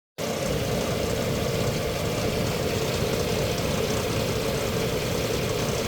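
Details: 2006 Nissan Xterra, 156k miles, hot engine at 750 rpm idle: dull, steady clatter from the bottom end, gone at 900 rpm and when cold; oil warning light after 30 minutes; no chain noise; cause unknown.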